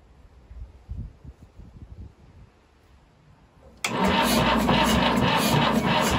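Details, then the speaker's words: Abandoned 1950s Fordson Major diesel tractor, first start attempt in 20 years, cold-start primed: the starter labours at about three and a half sluggish turns a second and never fires. Slow cranking from a weak battery. "i just not got enough in the battery even with the cold start primed she's just not gone enough okay definitely not got enough"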